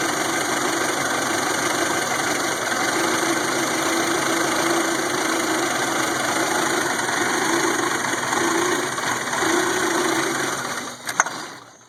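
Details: 1992 Toyota Camry 4-cylinder after rebuild (200 psi compression, new distributor, plugs, ECU; fuel and sensors check OK): rough idle with stumbles worsening until it dies, hard hot starts; misfire.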